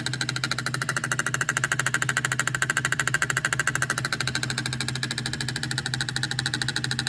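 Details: Delphi EGR valve only a few months old, setting code P0404: quick, even ticking about twice a second over a steady idle as the valve chatters and the pintle position wanders. Faulty EGR valve; the fix is to replace it.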